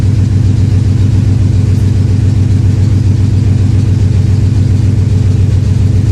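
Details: V8 after a 30 km drive, 8151 misfires logged on cylinder 8; deep idle with a faintly uneven beat, run with the cylinder 8 ignition coil unplugged during a cylinder contribution test to confirm the misfire.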